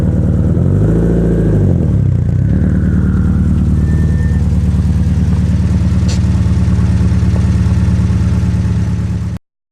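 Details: Engine at idle with a light, fairly regular knock about three to four times a second over the low engine note; owner suspects piston slap, unconfirmed.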